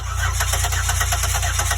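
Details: 2008 Buick Lucerne 3.8 crank-no-start, scanner showing zero RPM, with crank and cam sensor signals scoped at the ignition module: steady, rapid starter cranking with no firing or catch. Faulty ignition module.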